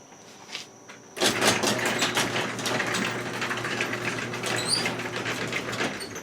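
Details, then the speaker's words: Chamberlain garage door opener after repair restored its light relay: door lowering, beam broken, opener reverses correctly and light flashes; steady motor hum with chain rattle after start click, even travel, no grinding or straining. "reverse okay so now it's working correctly it did reverse and of course if something broke the beam it uh flashes several times"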